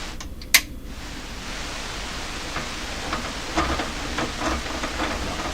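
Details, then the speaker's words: Hammarlund SP-600 receiver on broadcast band with antenna connected, during troubleshooting: steady soft hiss, one sharp click, no stations or band noise; owner suspects no oscillator in double-conversion mode. "Okay, To listen. Wow, this is pretty quiet. That's not too good. Yeah, pretty noisy. Well, that's not good at all. Should be stuff up there."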